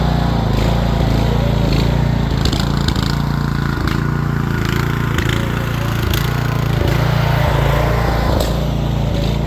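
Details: Rear-engine Snapper mower, Briggs & Stratton single-cylinder with new carburetor, stored over 10 years: steady, fairly even low putter holding speed on its own, slightly uneven; owner thinks the carburetor needs a little adjusting.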